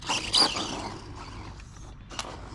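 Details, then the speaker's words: Traxxas TRX-4MT with a Furitek brushless system installed, while driving: a rough, raspy grinding burst followed by quieter scraping; owner suspects the plastic axle parts are grinding and something is going out. "And I'm wondering what that noise is. So something is going out. You can hear the plastic grinding. Something is definitely going out."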